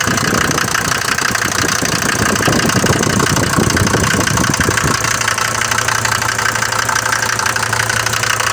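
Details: Mercedes diesel bought used with this noise, recorded cold in the morning: sharp, uneven clatter over the idle, louder than the normal clatter of these Mercedes diesels; loud cold-start knock, cause suspected, not confirmed.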